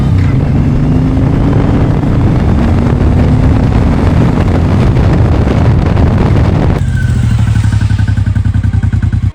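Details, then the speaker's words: Suzuki M109R V-twin on test ride after engine rebuild: deep even beat climbs smoothly in pitch pulling through the gear, no knocks or rattles; engine running normally over 10+ km after repair. "爽了，兄弟们，跑了10几公里，发动机的工作状态一切正常，尤其是它这个后宽胎抓地力十足，直接按在地上摩擦的。"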